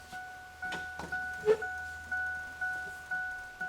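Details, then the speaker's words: 1997 Ford Ranger 4x4: door-ajar warning chime repeats about twice a second and the dome light comes on after a ground and power were restored in the door wiring; now working normally. "you can hear the you can hear it beeping now and the dome lights on"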